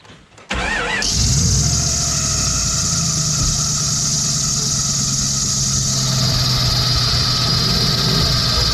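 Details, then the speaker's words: Jeep engine idle: loud, piercing, continuous serpentine belt squeal that began after spraying belt conditioner on a belt that wasn't squeaking. Pulleys show no play, and water on the belt stops the sound, so it's the belt, not pulley bearings. "I do not recommend belt conditioner. First time using it supposed to fix the squeak. It just made it a million times worse."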